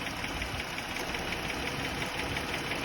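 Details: Jeep Grand Cherokee idling warm after the startup cycle, light steady tick about three a second, faint and quieter once warm; owner suspects an exhaust manifold or exhaust leak, a shop blamed the harmonic dampener. Finding: engine tick at warm idle.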